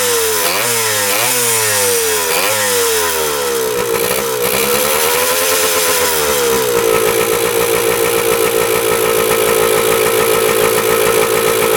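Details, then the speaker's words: 1977 Kawasaki KE100 two-stroke enduro, first run after 10 years parked: raspy blips up and down then holds a high buzzing rev, won't idle even with throttle stop fully in; air screw turned in, owner suspects gas cap not venting. "The throttle here is tapped out completely all the way in and it still doesn't want to idle."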